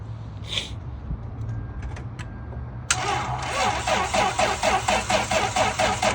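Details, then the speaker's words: Cold-weather no-start on a Lexus at 35–40°F: after a click the starter cranks slowly and unevenly, about two beats a second, and never catches; battery terminals corroded, reading only 9.74 volts, weak battery suspected. "Have a wonderful customer with their Lexus, and he cannot crank the car. It is very cold outside. It's about 35 to 40 degrees when usually cars act up with maybe a bad battery."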